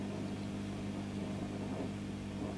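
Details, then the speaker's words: Fender Pro Reverb valve amp (possibly a reissue), brought in for crackling and popping, after HT capacitor change and while bias is adjusted: steady low hum with a faint rough grumble, milder than before, settling after a while. "grumbling away a bit this amp not as bad as it was but it seems to settle down after a while"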